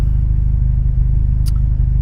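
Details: Peugeot 206 GTI 180 petrol at 107,000 miles, just after a cold start with a fault warning showing, possibly anti-pollution. Steady, even low idle with a smooth, regular beat and no knocks or misses. Normal idle.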